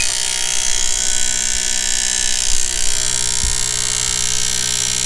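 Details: SeaDoo fuel injectors on a test fuel rail bench, high-speed flow test after ultrasonic cleaning: fast, fairly even electric clicking with a steady hiss, injectors firing cleanly and flowing normally.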